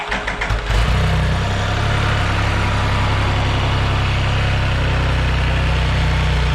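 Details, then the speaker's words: Can-Am Spyder RT after a service (Amsoil oil, BajaRon HCM/transmission filter, oil filter and Wix fuel filter): it catches after a few cranks and settles into a smooth, deep, even idle with no knocks or misses. It was warmed up while checking for leaks. "So now I'm gonna fire it up and run it for a while, let it warm up, and make sure I have no leaking going on."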